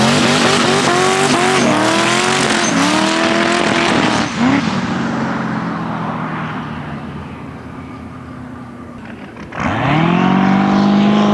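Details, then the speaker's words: eBay twin-turbo LS 5.3 at 10 psi; engine revs hard then stutters near the top like a rev limiter, with breakup at high rpm and boost. Owner suspects spark plugs gapped too wide and plans fresh plugs. "So it does look like we still got some breaking up I gotta deal with. I think what this car really needs is a fresh set of plugs."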